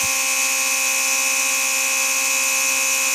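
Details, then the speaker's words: Early-style Mercedes 500SL R129 door-lock pump with its replacement motor, bench-tested: steady high-pitched electric buzz, even, with no grinding or labouring; the pump works well. "I mean I know for a fact that this pump works good so it's going to be fine"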